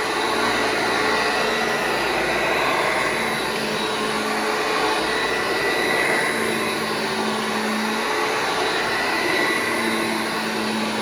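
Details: Restored vintage Hoover Junior 1334 vacuum, demonstrated after full restoration and reassembly: smooth, steady motor whir with even pitch, no grinding, rattle or bearing squeal; running healthy.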